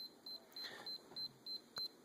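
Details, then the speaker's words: Sony camcorder with brand new tape that won't load or record: short high beeps about three a second with an eject symbol showing; camera signals an error and refuses the tape, cause unconfirmed. Error beeping. "if you can see that little looks like an eject sign and it just beeps and an AJAX so if you try to record or do anything you know try to record anything it just doesn't do anything it just sits there"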